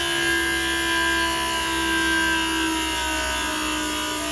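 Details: Hyster H360 electric cab-tilt hydraulic pump while tipping the cab. Steady electric whine with an even tone and no roughness or catching, loading up as it lifts; the pump motor is working normally.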